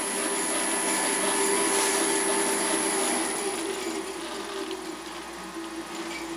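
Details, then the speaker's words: Delta saw's 1725 rpm motor on a VFD, speed run up to 50 Hz maximum then down to about 6 Hz, motor warm, not hot: steady motor and saw whir dropping in pitch and loudness as speed winds down; normal variable-speed operation. "watch the pulley as I turn the speed up and then back down that's 50 cycles because I set that as the maximum which isn't even 100% of the motor speed and that's a 1725 motor"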